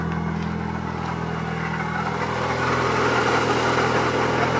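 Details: 1997 Mitsubishi Eclipse GSX, stock T25 turbo, balance shaft belt eliminated, AC belt removed: steady idle with gritty rough whir from timing belt side rising slightly; worn water pump bearing, replacing water pump silenced it.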